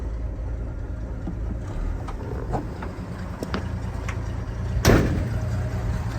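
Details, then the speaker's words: 1978 Chevy G20 van (former tire-company van, three-on-the-tree manual, fairly new exhaust) just after a cold start, temperature still cold: even, steady low idle with healthy oil pressure, no knocks or misses, one brief clatter midway; normal cold idle. "all right going to start up so you guys can hear it run see it starts right up see the oil pressure is nice and healthy you see the temperature is still"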